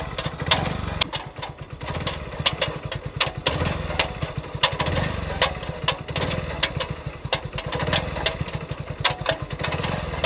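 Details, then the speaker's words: New 2023 Hero Splendor Plus, 642 km, revving in second gear: sharp, irregular ticks over the exhaust beat; owner blames a faulty gear sensor and also suspects a noisy chain, source unclear. "अभी जो टिक-टिक की आवाज़ आपने कि इस motorcycle को अभी तक केवल 642 किलोमीटर ही चलाया गया है, और इस नई बाइक में ही एक सेंसर खराब हो गया है। इस गियर सेंसर में खराबी आ गई है।"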